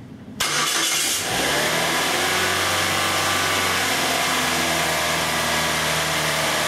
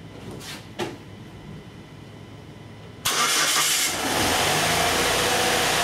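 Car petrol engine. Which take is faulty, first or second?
second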